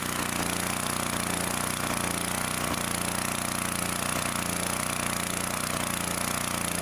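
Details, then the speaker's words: 2-cylinder engine runs with an uneven, lumpy beat, one cylinder weaker; with the blower shroud off, bolts were found backed out, so the intake manifold was sucking air past its gaskets. "well looky here pulled off that blower shroud and that's just how them bolts were backed out like that so it's sucking air"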